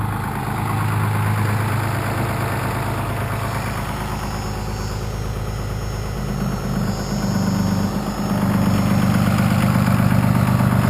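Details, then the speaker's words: First-gen 6.2 liter Cummins, 24-valve with VE injection, at idle: deep diesel rumble swelling and shifting as exhaust brake cuts in and out intermittently; cause found as unsoldered switch wires vibrating loose. "So my switch seems like it's not holding up very well. It's kind of intermittent and kicking the exhaust brake on and off."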